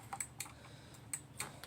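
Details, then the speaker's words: Remote-capable emergency light (6 V bulb) wired to a 12 V Mule remote head, test button pressed: crisp sharp relay clicks with no buzz or chatter between; relay switching cleanly, working normally. "here you can hear the relay clicking. so everything works nicely. Pretty satisfying to click."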